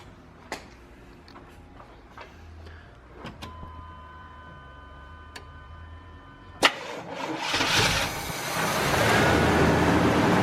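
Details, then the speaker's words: Chevrolet C1500 pickup after fuel tank replacement and hotwired fuel pump: scattered clicks and a brief chime, then it fires right up and settles into an even, steady run without misses or knocks; normal idle, sounds smooth. "Fired right up. It sounds so smooth."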